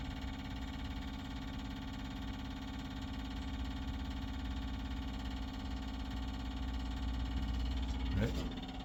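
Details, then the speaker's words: 1959 GMC truck, electric fuel pump drawing from the freshly cleaned factory tank behind the seat to a rebuilt Holley carburetor: fast, steady electric ticking over a low hum as the pump struggles to pick up fuel; quieted after an air-hose assist. "It's pretty loud right now, so you probably hear it. I'll grab the air hose really quick. Sometimes with these little guys, if you help them along, yep, pump's quieted up."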